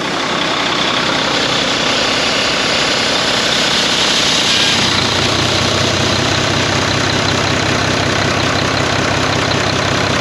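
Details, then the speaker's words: Volvo VNL truck with D13 diesel, first start after sitting four months following a deer strike: idling under a loud windy hissing whoosh that swells whenever the engine surges, an air leak where a seal was left missing after repair work. "there's a seal missing from there after the guys replace doing what they're doing there's a seal that is missing"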